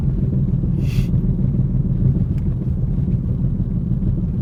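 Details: 2010 Ford Focus driving: steady road rumble with a low rhythmic thrum following wheel speed, coming from the right rear tire; cause not pinned down.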